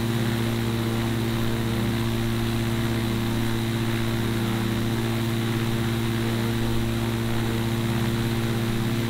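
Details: Newly built gyrocopter with Duke Flash 2 three-blade prop, first running test: smooth, constant propeller drone with steady low hum, no knocks or surging; engine runs evenly.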